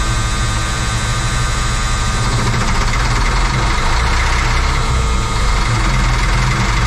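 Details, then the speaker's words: M35A2 military truck diesel after long sitting: heavy, uneven cranking with no firing; it cranks but won't start, with no fuel reaching the engine although the tank has fuel. "sounds like you're not getting fuel yeah uh the other one I'd get a little bit of smoke this one's getting no fuel"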